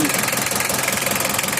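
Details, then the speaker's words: Mitsubishi L300 diesel that is hard to start when hot, stalls on inclines and emits white smoke: clattering idle with an uneven, stumbling pulse. The rough running is being corrected by setting the injection pump timing. "Guys sekarang kita setel guys ya asapnya putih brebet brebet ini ya guys ya kita berawal dari style peluncur dulu ya nih"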